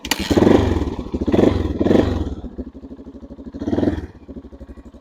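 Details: Cold-started 1989 Yamaha XT350 single-cylinder, unridden for about a week, kickstarted with no choke: fires and settles into a lumpy, uneven thumper beat with a few throttle blips; starts and runs normally.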